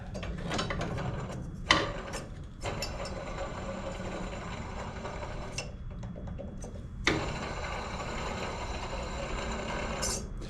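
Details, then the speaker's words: Worn idler pulley bearing on a Yard Machines 638RL 38-inch riding mower with a 13.5hp Tecumseh engine: rough, gritty grinding and ratcheting rattle as the pulley is spun by hand with belt tension off; pulley barely spins, needs replacing. "we'll have to get another pulley too you can hear the bearings I bet this thing sound like a rock Crusher when he was using it"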